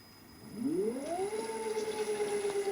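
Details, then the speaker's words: Gen1 Nissan Leaf motor on a Leaf inverter, Freelander throttle, now with a load connected. Clean whine climbs smoothly with throttle then holds. Rpm now rises and falls properly, unlike before. "you can hopefully see that spinning that would be spinning the drive shafts if they were plugged in"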